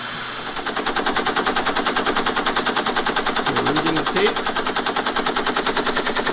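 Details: Teletype ASR 33 under restoration, paper tape reader reading a loaded program tape: a rapid, even mechanical clatter at a steady rate with no hesitation or skipping. The reader is stepping and reading smoothly.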